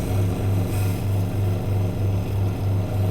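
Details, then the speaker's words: Twin-tub washing machine spin-dryer after repair, now turning both directions: smooth low motor drone with an even three-per-second pulse from the spinning tub, no scraping or knocking; spin motor running normally. "Oke, sekarang normal ya. Udah nyala kan ya? Udah normal lagi. Baik putar ke kanan atau ke kiri dia udah normal."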